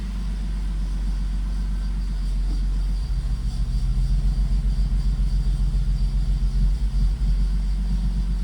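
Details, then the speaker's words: BMW convertible after homemade injector service, injectors and rail reinstalled; the pump primes, then it cranks, catches and settles into a low, slightly uneven idle with some initial hesitation. Engine starts and runs. "It's running. At first there was some hesitation at idle."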